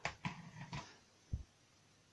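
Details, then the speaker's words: Atari ST with newly fitted replacement floppy drive loading Thundercats: a few sharp clicks and short buzzes as the head steps and seeks; loads slowly, drive working normally. "all hooked up there needs to be put back together underneath that but as you can hear something's happening yeah Thundercats is loading slowly starts working great"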